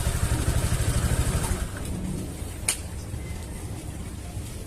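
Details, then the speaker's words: Honda Vario 150 after fixing a CVT-area knock by tightening loose lower bolts: engine starts and runs smoothly, even low putter rising briefly when revved, no knocking from the belt drive; normal running. "Mesinnya menyala dan berjalan dengan lancar. Suara ketukan sudah tidak terdengar lagi ."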